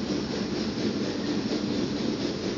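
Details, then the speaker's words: Brunton Vesta LPG-only stove run in an emergency on liquid fuel from a pumped, pressurized bottle, through its larger LP gas jet. A steady, even rushing roar with no sputter. The oversized orifice gives a very rich, yellow flame. "with liquid fuel if they have an orifice especially a jet that is set for LP gas which is usually a larger orifice compared to liver fuel you're going to have a very rich flame here"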